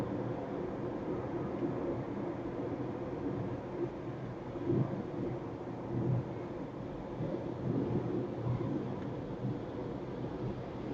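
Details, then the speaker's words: 2017 Honda CR-V Turbo at cruising speed, heard in the cabin: low steady rumble and hiss with no knocks or whine; excessive tyre road noise, said to be louder still on concrete toll roads. "Itu ya teman-teman kira-kira suara road noise-nya. Kalau di jalan beton seperti di tol lebih bunyi lagi ya, lebih masuk bunyinya, ampun ya."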